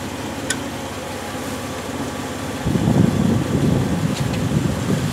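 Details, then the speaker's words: Bone-cold 1965 Jeep CJ5 just fitted with an XF Falcon electronic ignition, jump-started: catches then runs lumpy and uneven with wandering pulses; it floods, owner suspects fuel supply or carburettor issues; rough running on cold start. "hey it's bit funny at the moment because it floods so I don't really know but once it gets going is not too bad"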